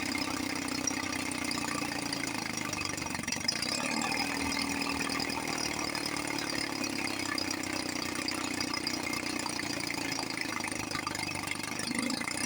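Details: 1954 Johnson 5.5 HP two-stroke outboard after low-speed needle adjustment (1.5 turns, in until RPM rises, back a quarter turn): steady even burble with a light high buzz, no misses or knocks; idle mixture properly set.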